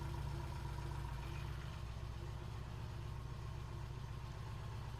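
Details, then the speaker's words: 1968 Triumph T100C twin motorcycle just after a cold start: steady, even low thrum with a regular beat, no knocks or misfires; running cleanly with good oil flow, good breather vent and no visible oil leaks. "All right, I'm going to do a cold start on the bike and see how it goes."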